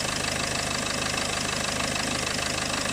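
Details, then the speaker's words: Peugeot 406 2.2 HDi at idle on a freezing morning, undertray off, probed with a hose: fast, light, regular chirp about three times a second from the worn alternator clutch pulley. "send a little chirping sound here is actually the clutch on the end of the alternator"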